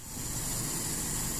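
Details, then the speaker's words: Toyota Kijang 5K engine, cold morning start about 12 hours after valve adjustment (intake 0.20, exhaust 0.25). Short, even idle with no valve ticking or tapping, only vibration; valves sound smooth and healthy. "harusnya seperti ini suaranya menurut saya halus enggak ada bunyi di bagian klep cuman bagian di getaran saja karena ini masih dingin ya"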